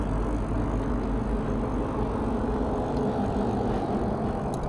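Steady road and wind rush while riding, with no rattle or tick coming through; the bike runs quiet and even.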